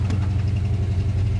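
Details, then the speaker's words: 1988 Ford Mustang after engine pull and pressure wash: moisture and corrosion found in distributor, cap and rotor; after drying, retiming and coolant bleed, low lumpy idle still stumbles unevenly, a remaining misfire. Owner suspects cap/rotor or distributor needs replacing. "Sounds like you still got a miss. You got to rough a little bit."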